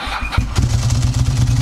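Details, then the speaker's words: Ducati Monster 900 twin during home service, brief start to check oil level: short starter whirr, catches at once and settles into even, lumpy idle with steady beats; normal Ducati noise. "Il y a un bruit, c'est une Ducati, il y a un bruit."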